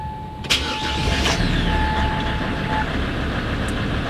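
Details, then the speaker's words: SsangYong Rodius during A/C repair, after vacuuming and connecting R134a refrigerant, new accessory belt fitted: short crank, engine catches cleanly and settles into steady idle with no lasting belt squeal or slip; normal start, new belt works. "l’air est parti c’est maintenant le gaz réfrigérant qui va passer on met le contact et on démarre"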